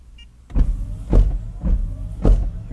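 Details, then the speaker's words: Honda/Acura high-speed wiper command via a Launch Creader Elite 2.0 scan tool actuator test. Quick, evenly spaced swishing sweeps about every half second, no clunk or grind. Normal high-speed wiper operation. "The high wiper. So, not just diagnosing engine. I can do body wipers, electrical, all sorts of stuff with this."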